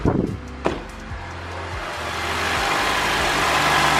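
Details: A few clicks, then the engine catches and settles into a smooth, rising, steady idle on a 2007 Honda Accord just after a new starter was installed; the engine light that the bad starter had caused is now off, normal idle.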